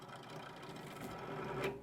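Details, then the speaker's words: iBuyPower tower after AIO cooler swap: short rough whirring grind with raspy edge over fan rush from the bottom case fan, thought loose; grinding case fan. "it's actually just this bottom fan here it's really I think it's just really loose and it's not it's not performing well you can hear that that's awful"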